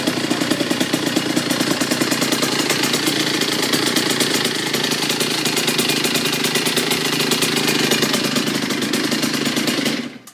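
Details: Kawasaki KX85 two-stroke with full FMF exhaust, cold start: crisp rapid popping holding an even steady idle with no misses, then cleanly cut off; normal cold start and idle.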